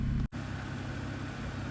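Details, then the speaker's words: BMW E90/E92 after cleaning the intake and exhaust VANOS solenoids for a stutter and rough idle, ignition coils checked good: steady, even low hum with no hunting or stumbling; idle now settled and smooth. "Guess we just got to see what happens. Constant idle."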